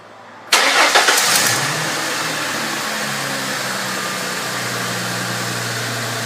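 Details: Ford 3.8L Mustang 12-valve V6 (same design as 3.0L Vulcan and 4.0L): engine cranks, catches and idles with a steady dry chirp from the front belt area, which sounds like a belt chirp but is a worn cam synchronizer bushing.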